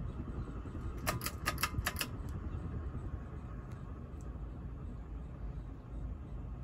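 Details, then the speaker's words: SMC Emperor ceiling fan at medium speed: steady low rumble with a brief burst of sharp clicks from worn motor bearings. "medium is almost like high speed sure you can hear the bearings now"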